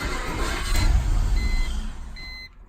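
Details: BMW E46 with check engine, airbag and cluster lights: engine catches and runs with an unsteady, lumpy low rumble that sags within seconds, then stalls; rough idle, cause unknown to owner, sometimes pops.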